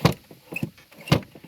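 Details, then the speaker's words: 1981-85 Ford EXP/Escort heater/AC box: soft paired thumps from the blend door that opens and closes between the main air compartment and the heater core/AC evaporator; normal door operation. "that's opening and closing a valve or a shutter door between this the main air compartment and then the heater core and the uh the ac evaporator or core"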